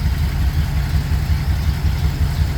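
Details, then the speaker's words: Ford F100 FE V8 that runs cold-blooded even on a 95° day, idling just after starting on starting fluid: deep, steady idle with an even low pulse and no knocks or misses; normal idle. "And these FE engines, they're cold bloodooded, even on a day that's 95°."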